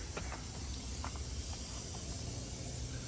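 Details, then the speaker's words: Truck tractor not started in over a year: constant thin airy hiss over a low rumble with no pulsing; compressed air escaping, owner suspects an air line up against the frame, not confirmed. "yeah I think it's coming from right up in there probably a little bit further back yeah if I pull this thing out I I could see it cuz it's strong right here"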